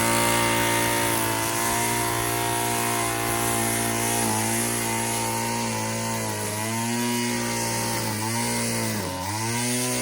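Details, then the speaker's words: Two-stroke string trimmer from a yard sale, engine running: buzzes high and steady, dies when tilted on its side and revs back up when upright; owner suspects fuel pooling in the crankcase, unconfirmed. "That's weird. You turn it on its side and it cuts off. You tilt it back and it revs up. I have no idea what that's about. There's probably some fuel pooling in the crankcase."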